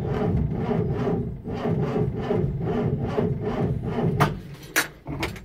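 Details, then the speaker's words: Land Rover Series IIa with mechanical fuel pump, on a very cold day after rewiring/ignition checks; steady cranking ~2 pulses a second drags on without catching – slow to start, owner blames the cold. "It's not encouraging, is it? It's because it's cold. I think really it needs to go for a good old test and warm up."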